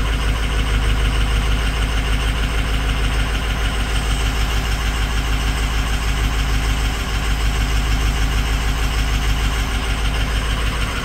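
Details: 6.0 Powerstroke diesel with bad injector #6: rough, uneven idle lope with about two stumbles a second breaking the beat; diesel injector misfire.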